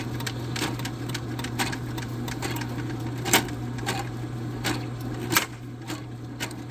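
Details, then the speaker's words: Drain snake motor hum with irregular hard slaps every couple of seconds as the cable bit catches in a clogged kitchen drain; suspected, not confirmed. On a hard slap, check the coils aren't wrapping, stop feeding cable, and give three or four turns. "When you hear that really hard slap, always check your coils to make sure they're not wrapping. And also, if you keep giving it like a second in between like when it's starting to slap like that, just let the um don't shove no more cable in."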